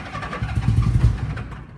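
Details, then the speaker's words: 1961 Cushman Shark Nose golf cart fitted with a Honda Goldwing 1100 engine, first start in a couple of weeks: brief deep cranking catch settling into a smooth low rumble; fires and idles cleanly. "it has a Honda Goldwing 1100 engines and it runs really nice really a sweet running golf cart"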